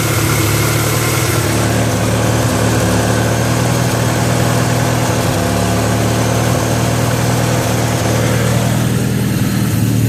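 Steady idle with an uneven, lumpy beat and occasional stumbles in the low rumble, sounds like a misfire at idle.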